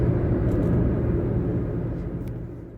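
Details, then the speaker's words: Taxi driving down the road at steady speed, the day after a worn wheel bearing was fixed. Even, low road rumble with no hum or growl rising with speed; the wheel bearing now sounds quiet and normal. "And yesterday, they fixed the wheel bearing. You don't hear it going anymore going down the road. That's great. That's just the way it should be."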